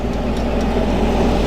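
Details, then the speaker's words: Goldstar 12,000 BTU window air conditioner from about 2004-2005, after fan motor replacement for bad bearings and cleaning: even low hum, soft steady whoosh, no grinding or bearing rumble; much quieter than before, normal running. "hopefully this gets it back you know you sit back working again long toes it's quiet vans quiet"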